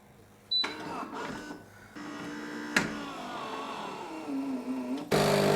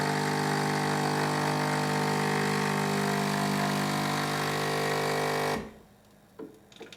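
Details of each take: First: Philips 3300 superautomatic coffee machine, grinder bypassed with pre-ground coffee in the chute for espresso: the motor whirs and its pitch sags and wavers as the brew group pushes up and tamps the oversized dose, straining. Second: Philips 3300 superautomatic making espresso, grinder set at 2, largest bean amount, smallest output, medium heat: even, steady grinder whir holding one pitch for about five seconds, then a clean stop; the grinder sounds healthy.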